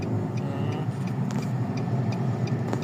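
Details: 2020 Nissan Almera automatic transmission after replacing a noisy bearing: smooth, steady driving rumble with no whine or growl rising with speed; transmission sounds healthy.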